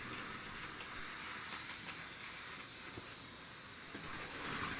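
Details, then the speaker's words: 2012 EWS Hornby Class 60 model locomotive after its bogie was refitted: only a soft, even hiss and faint track clicks as it speeds up, in both directions, with no grinding; the running noise is gone. "I think you'd agree with me that we have silence um and yeah I did run it backwards as well"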